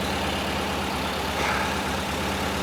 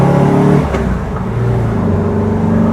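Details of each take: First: 1968 VW Type 3 with freshly installed 1835cc air-cooled engine, warming up after first start, smoke burning off: even, steady idle with a smooth low beat and no knocks or misses; normal idle. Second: 1968 VW Type 3 1835cc air-cooled engine, fresh install with new heat wrap, on what was likely a fourth-gear pull coming off throttle: uneven pops from the exhaust; exhaust backfire, not engine related, owner suspects a leak at worn exhaust donuts.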